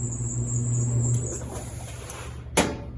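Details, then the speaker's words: Laundromat washing machine running: low hum with a thin high-pitched squeak on top and a sharp clack near the end; suspected bad idler pulley, not confirmed. "you hear that squeaking that sounds like a bad idler pulley i've got one in the back so i'll know this one is needing an idler"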